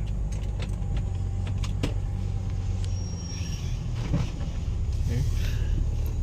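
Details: Mitsubishi Pajero 3.8 V6 gasoline on a road test after fuel pump replacement, which previously lacked power uphill and backfired: strong, steady low rumble pulling evenly under load with no popping or stumbling; healthy engine.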